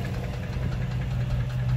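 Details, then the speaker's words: 2005 Dodge Ram 1500, 5.7 Hemi V8 at idle: deep, rough idle with a steady low knock under the engine beat. Owner doubts the flexplate and suspects the lower end, crank or main bearings. Unconfirmed. "I don't think it's the Flexplate. It sounds like the engine."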